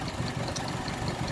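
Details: 2001 Mitsubishi Mirage 4G15 that sat for years: uneven, lumpy idle pulse with slight knocking, shaking and no power. Engine mounts bad; intermittent clicking underneath. Fuel pump, regulator, plugs, wires, crank sensor, distributor and PCV replaced, hoses and EGR cleaned; cause unknown.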